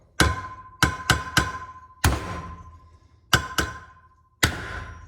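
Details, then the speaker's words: Hammer tapping a wheel bearing race into a 1955-66 Thunderbird hub with an insertion tool: sharp ringing blows turn duller and flatter as the race seats fully; the pitch change shows it is in. "okay different tone do you hear that okay i ain't going anywhere okay i can see from behind that it's in"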